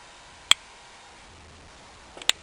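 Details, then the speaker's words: ABEC 11 longboard wheel with new Zealous built-in-spacer bearings, normally run on a .402" spacer: two sharp isolated clicks as the wheel is rocked; combined inner bearing shoulders too wide for the wheel, causing side play. "the problem is that the shoulder this inner shoulder here on the inside of the bearing it's just uh when it's combined with the other bearing is a little bit too wide overall for the wheels in question"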